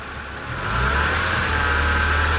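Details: BMW Z4 E85 3.0si, N52B30 engine, drive belt removed, so alternator, tensioner and AC are excluded. A whirring hum rises with revs over the exhaust, which the owner feels has worsened over time; owner suspects the DISA flaps. Odd tocking on return to idle. Unconfirmed.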